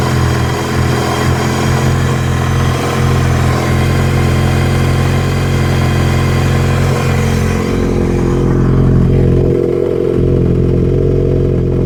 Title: Misfire possible fueling issue?